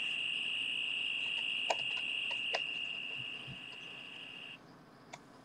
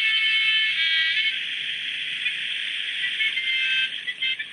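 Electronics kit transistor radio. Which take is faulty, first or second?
first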